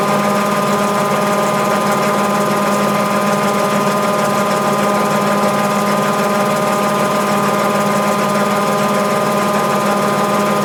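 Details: Mabe 18 kg washer, normal spin cycle before thermoactuator check: steady motor hum with constant faint pump whir, no knocking or grinding; 110 V stays applied to thermoactuator and drain pump throughout spin, both active.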